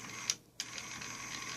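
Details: Mercedes SL600 throttle actuator motor bench-tested with direct power before repair: faint, even high whir with a couple of light clicks, passenger-side motor spinning freely as normal.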